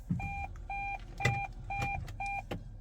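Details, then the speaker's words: Hybrid car left in neutral, where the engine doesn't charge the battery; at 2 bars a double-tone chime repeats about twice a second with a traction-battery-protection warning; shifting to P resumes charging. "Ini baterai tinggal 2 nih, tuh. Nah ketika baterainya udah 2 muncul warning."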